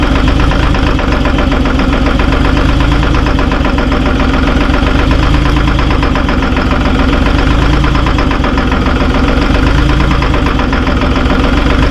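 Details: Terex TX 72-31 with Detroit 6V53 two-stroke diesel, first cold start in 20 years on old fuel with ether: loud, lumpy uneven idle with stumbles, heavy smoke; owner suspects a couple of injectors hung up.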